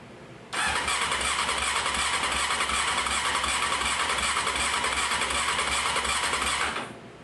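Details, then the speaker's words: 1995 Honda CBR F3 inline-four bought on a budget, cranked after an oil flush: steady starter cranking for six seconds with an uneven compression rhythm and no firing; the number four spark plug was out, not a compression fault. "never mind we had a we had number four cylinder um with the plug out so just for my own gratification stick it in"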